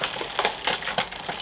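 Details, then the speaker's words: Shimano 8000/6800 road bike in service: front derailleur shifted from bottom gear up and back down with trim, crisp light clicks, no grinding or rubbing; normal smooth front shifting. "all the way down all the way off so that's fine there's no it's nice and smooth there's no indication we've got any problems"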